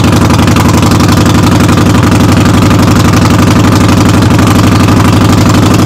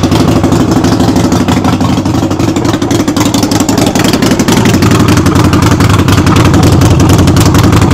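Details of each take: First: Harley-Davidson Sportster V-twin in neutral, rear wheel raised, running during brake switch repair: loud, fast, even rattle about four beats a second over heavy idle, "rattles like a freight train"; cause unknown. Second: Harley-Davidson Sportster, rear wheel lifted, run in first gear to warm up after brake light switch repair: loud steady loping V-twin beat with rattle, even speed; normal running.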